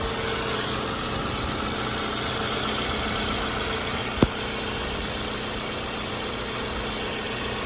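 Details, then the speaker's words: 2005 Toyota Camry LE 2.4L four-cylinder just after replacing the PCV valve with OEM part 12204-28020: a quiet, steady idle with an even hum and one stray click, no ticking, hissing or roughness. Normal idle. "You get in your vehicle and you start it up. Sounds good. Put your engine. Make sure everything sounds good, which it does."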